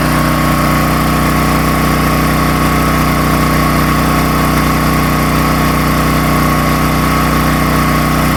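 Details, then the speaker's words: Predator 13,000 W tri-fuel generator carrying about 15–16 A on a 120 V 20 A GFCI outlet: steady, even drone holding speed under load, no surging; idle up/down works, though idling down gives about 40 Hz output. "So we had about 15, 16 amps pulling out of this 20 amp max GFCI, and it did fine. The idle up feature, idle down feature worked."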